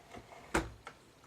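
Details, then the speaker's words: Collaro RC54 record changer: light, sharp ticks in a quiet room, one loud click among softer ones, from the idler wheel hitting the motor; a spring is suspected missing. "That noise is because of the idler hitting the motor."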